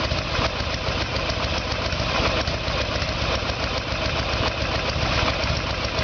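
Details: 1994 Harley Sportster Evolution with a 1996 engine, carburetor found to be the problem; idle while ignition timing is checked with the two dots centred in the timing window. Steady, even V-twin idle with a deep regular beat and no knocks or misses; healthy idle.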